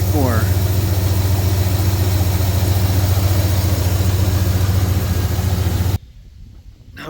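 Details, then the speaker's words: 2009 GMC Sierra idling after replacing the worn, noisy idler/tensioner pulley and refitting the serpentine belt. A smooth even hum with the earlier belt-drive noise reduced. "don't hear the sound quite like I was hearing it before"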